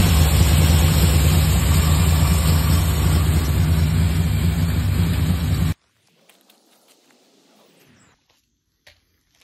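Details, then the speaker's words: 1970 Dodge Coronet 383 big-block V8 with a two-barrel Holley and factory single exhaust, first start after sitting about a year. It gives a loud, lumpy, uneven idle, seemingly running on only five or six cylinders, with no smoke. "looked like it was only running on about six five or six cylinders"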